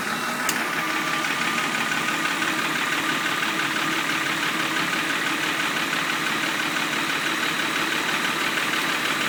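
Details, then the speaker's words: 2000 Jeep Cherokee Limited 4.0, used swap engine sold with a lifter tick. Rockers, springs, pushrods and exhaust gasket are new. Light fast top-end ticking over idle that rattles more when revved; bottom end ruled out, lifters suspected, head likely coming off. "believe it's a couple lifters but we're not quite sure yet we're going to probably pull the head tomorrow and put new all new lifters in it and see what happens"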